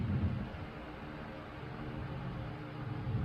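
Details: 1938 GE 12-inch oscillating fan, catalog 49X929, after restoration, low speed with oscillation: quiet steady low hum, soft air rush, no ticks or rattles; much quieter than high speed; normal running.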